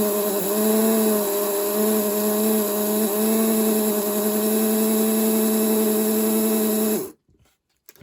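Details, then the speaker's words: Vintage 1957 Revell HO Union Pacific 0-6-0 dockside saddle tank model locomotive after cleaning and lubrication; smooth steady electric motor hum with even low buzz, no ticks or grinding, then stops, normal running. "that sounds nice and healthy"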